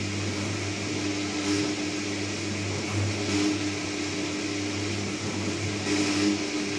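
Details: Candy Trio 9501/1X appliance, new: loud operation with constant low hum and droning resonance swelling every couple of seconds; cause not evident.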